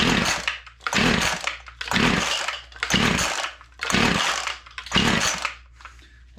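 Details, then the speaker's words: WeedEater Featherlite two-stroke string trimmer found in a dumpster, full of water, no spark: six rasping pull-cord strokes and it never fires. Water in the cylinder is suspected. "that's a bit of a bummer but I do think it's because the cylinder is all full of water"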